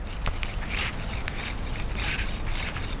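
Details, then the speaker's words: Gritty, uneven scraping and clicking as a removed front wheel bearing from a 2013 Nissan Rogue is turned by hand; worn, rough bearing that growled from about 30 mph, rusted to the knuckle. "pretty trashy that thing was growling pretty good I think once he got up to 30 mph something like that he could really hear it"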